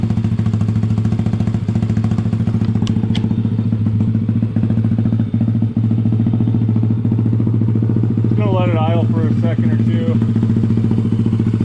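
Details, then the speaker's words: Honda ATC70 with a Piranha 140cc engine swap, first start. A steady, quick single-cylinder putter of about three and a half beats a second, with no knocks or rattles and an exhaust that is not too loud: normal idle. "Exhaust sounds good. [Music] Not too loud either."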